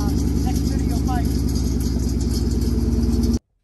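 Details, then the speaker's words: 1999–2004 Ford Mustang GT V8 at idle: metallic rattling rides on the pulsing idle at roughly three beats a second, pretty bad, from a loose exhaust part; exhaust rattle. "Next video on this car, at some point in time, we're going to fix the exhaust rattle. If you guys want to hear that real fast, you'll see it in that video too, but pretty bad."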